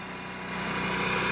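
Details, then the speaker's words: Onan MicroQuiet 4000 RV generator under AC load, heard outside: holds one steady pitch, not going up and down; that's how it should sound. Normal steady running under load. "it's not doing that up and down. That's what it should sound like right there."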